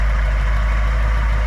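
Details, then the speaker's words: 1968 Ford F-250 Camper Special with a 360 V8 gas engine (replaced in 1982) and a rebuilt 2-barrel carb: deep, steady, even idle rumble with no knocks, misses or ticks; runs fine. "Just a rad truck, and you can hear it runs fine."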